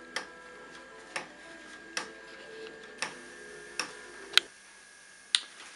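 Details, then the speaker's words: Live-steam model locomotive, oil pump at the front feeding both cylinders: sharp light clicks about once a second, a little uneven, over a quiet background; the typical, normal oil pump ratchet clicking. "c'est qu'on entend un claquement et ce claquement qui est typique en fait c'est uniquement la rúa rochet de la pompe à huile"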